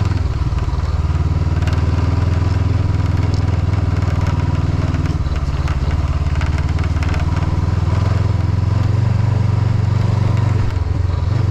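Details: Vehicle driving at road speed on a road in Norway, steady low engine drone with a light irregular ticking rattle from the windshield, loose because a mounting screw was lost.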